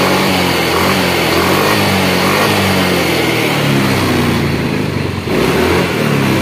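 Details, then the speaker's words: Yamaha X-Ride fuel-injected Blue Core scooter after throttle body cleaning and scanner reset: steady hum with smooth revving, revs drop back cleanly to an even idle with no hanging; normal idle and throttle response. "ya stasioner sip untuk stasionernya jangan terlalu tinggi jangan juga terlalu rendah Ya intinya pokok enggak matian dan pada waktu digas enggak pandang Los gasnya ya"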